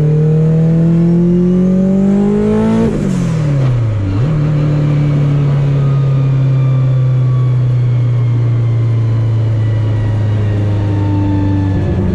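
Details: Test drive of the car after CV axle and driveshaft fixes, driven lightly on a back road: engine pulls up smoothly, lifts off, then cruises steadily with no clunks, whine, shudder or vibration; driveline sounds healthy.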